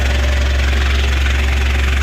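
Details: Citroen Berlingo idling after a new down pipe and exhaust were fitted, checked underneath for leaks before fully hot; deep, even, smooth hum with no puffing or ticking, no gases escaping.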